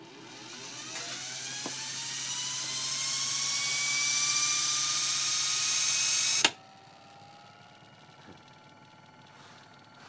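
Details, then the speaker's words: Century 3/4 hp 6-pole repulsion-start induction motor (rated 1165 rpm, with thrust bearing) started on 120 V. It spins up smoothly to a steady whine at almost 1200 rpm with no load, no rubbing, then cuts off. "we are running at almost 1200 rpm with no load of course"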